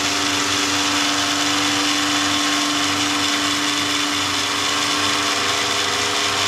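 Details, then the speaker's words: Repaired 60-some-year-old Lionel 350 transfer table motor after disassembly and reassembly: steady smooth whir with one even tone and no growl or rattle; runs much quieter than before, normal motor run. "if you want to go back go north and it'll it'll keep doing that and it runs much quieter than it did"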